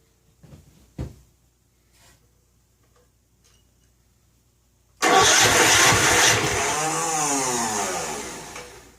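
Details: Snapper Hi-Vac commercial mower, bought new around 1988, Robin/Wisconsin engine, on choke after oiling, before rigging fuel: handling clicks, then a loud labouring crank with wavering pitch that never catches; cause not yet confirmed.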